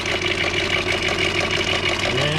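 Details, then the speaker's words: 2002 Volkswagen EuroVan with VR6 petrol engine idles with a busy, metallic rattle that started suddenly, disappears when revved and returns at idle; owner is unsure, wondering about a stuck lifter, and added Seafoam. "i got this uh 2002 volkswagen euro van and it is making a weird rattling noise let's see i'm going to start it up"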